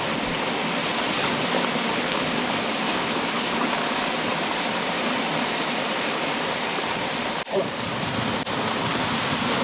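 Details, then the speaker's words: DIY hydroelectric penstock pipe with valve opened fully for first flow test: steady even rush of water, no surging or gurgling; pipe running full and flowing well. "That's a lot of water."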